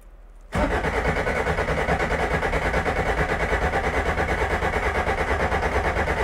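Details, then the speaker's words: Dry-sump 1973 Toyota Corolla TE27 rally car in neutral, cranked with ignition cut to build oil pressure, then started: the engine catches at once and settles into a steady, even idle pulse with no knocks or misses. A healthy start. "it is a dry sump so you're going to hear me crank it for a little bit i'm going to cut the ignition and it's going to build up oil pressure"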